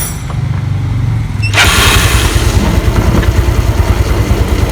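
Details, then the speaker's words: Yamaha Mio Soul scooter after a broken starter motor bushing was replaced with a pipe piece: the earlier rough grinding crank is gone. One press gives a brief smooth crank, instant start and an even, low idle. "Putar, jadi sekali pencet udah langsung nyala."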